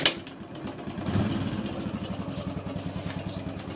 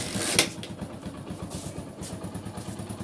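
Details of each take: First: Hero Splendor Plus single-cylinder engine idling with light metallic rattle over steady low thump: timing chain noise persisting even after genuine Hero timing chain kit was replaced. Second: Hero Splendor Plus motorcycle engine idling with a steady, even low thump and no chain rattle after the timing chain noise fix, done without removing any bolts.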